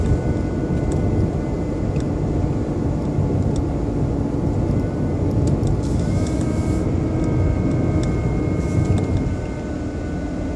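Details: BMW 120i E87 smooth idle: faint steady whirring like a small motor, seemingly from behind the airbox; oil change did not cure it, cause unknown.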